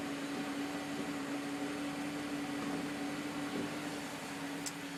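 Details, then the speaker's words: DSG transmission just after installation, shifting into drive at idle: steady even idle hum with no thump or clunk on engagement, only a slight tug felt; engagement sounds clean and healthy. "yeah as you can hear there's no clunk noise whatsoever"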